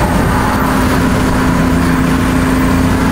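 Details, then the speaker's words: BMW E46 wagon cruising, day after roof rack installation: steady low whistling hum, squealing over road and wind noise, heard with sunroof open and closed; roof rack wind whistle. "It's the roof rack, dude. Listen to this. Why is it squealing?"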